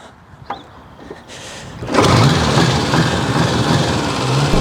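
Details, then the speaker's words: Restored 1954 Ariel Square 4, four-cylinder, slightly warm, kick-started off the center stand with a little throttle: a couple of quiet kicks, then it catches and settles into a steady, even run, a clean start. "But good thing I'm strong enough to just kick her over like this. A little bit of throttle."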